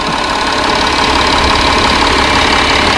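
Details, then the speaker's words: 2012 Audi Q7 diesel at idle during service check, six injectors serviced, turbo not smoking, diesel filter replaced last year: steady even tick with no roughness or odd noises; engine runs very well. "It's always good because the engine runs very good."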